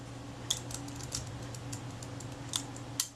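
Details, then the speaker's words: Kodak Retina IIIC being repaired after falling in a river, curved rack shifted one tooth: light ticks during film advance and a sharp click as the shutter latches cocked before the stroke ends; cocking works correctly. "I could hear the shutter click into the cocked position before the film advance stroke had finished, so I knew that was fine."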